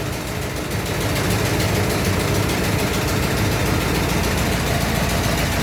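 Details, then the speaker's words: 1924 Dodge truck, old four-cylinder, first run after dry start, throttle held slightly up to warm it: steady even chuffing, about 40 oil pressure, no smoke or fuel leak; owner suspects an exhaust leak; running healthy. "I got I'm holding the throttle up a little bit get a little heat to it sounds good it's not I don't see a puke and smoke anywhere"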